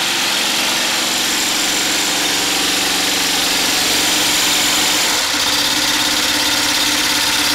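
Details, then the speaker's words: DIY 12V DC generator charging a battery bank and running an inverter, exhaust piped through flex pipe to a muffler: steady engine drone with an even beat of about three per second and strong hiss; normal running under load. "so I wanted to show you my 12volt DC generator actually operating and this is it operating with my battery bank and my inverter"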